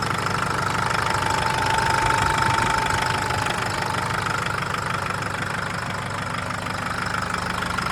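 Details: 2011 Nissan GU Patrol CRD automatic diesel at idle: loud, very even knock about three per second; also no power, stalls when driven cold, codes P0088, P0089, P1090; engine knocking, cause not yet pinned down.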